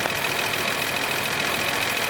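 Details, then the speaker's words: 1979 Datsun 280ZX inline-six that sat for years with old gas, fuel starvation fixed, started with 40 psi fuel pressure holding 34: even, steady idle with no misses, seemingly firing on all six. "and i think it might even be firing on all six i think it's running smooth"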